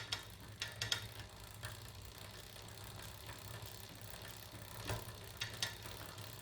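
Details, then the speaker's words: Shimano Ultegra Di2 8050 electronic rear derailleur, checked after leaving adjustment mode: short motor whirs and light clicks as it steps across the cassette, with the chain quiet between shifts. Shifting works properly. "Il ne me reste plus qu'à sortir du mode de réglage en appuyant quelques secondes sur le petit bouton et à vérifier que tout fonctionne correctement."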